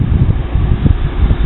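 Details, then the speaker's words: Cleaned-up old window air conditioner unit after restoration, fan on high, compressor just kicked on, not ice cold yet: steady low whoosh with a gentle pulsing rumble, no squeal, and no longer making its earlier loud racket. Some loose debris is still faintly audible up front. "It's not ice cold yet, but the compressor just kicked on. Fan on high, still don't make much racket."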